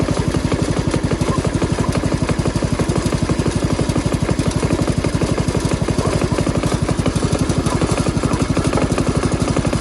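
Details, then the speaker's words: Jacobsen Chief 1200 garden tractor with Kohler single-cylinder engine, cold start, parked in forward gear, running to drain the carburetor bowl: steady, even thump at about four beats a second, no misses or knocks; normal settled idle. "I always like to just drain my carburetor ball so you guys get a couple of minutes to just listen to that Kohler idle."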